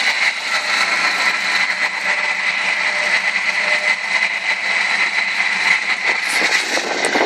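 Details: 1998 Ford Escort ZX2 idling: thin, steady high whistle from somewhere in the engine bay, holding its pitch; owner trying to diagnose the odd high-pitched engine tone.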